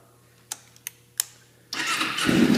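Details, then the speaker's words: Carbureted motorcycle started completely cold at 72°F, vacuum leak created by removing carb sync hoses; clicks, then catches and rises to high idle on full choke, dropping to low idle and dying as choke reduced; vacuum leak. "starts up high then if I try to reduce the choke it basically gets down to a real low idle and dies"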